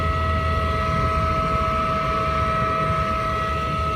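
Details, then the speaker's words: YCH240 20-ton packaged HVAC unit, about 2001 to 2005, with the thermostat set to off. The draft inducer motor gives a constant whine with a steady low rumble and never cycles off, running although nothing calls for it. "The draft motor is running constantly, so let's open her up and let's see what's going on, guys."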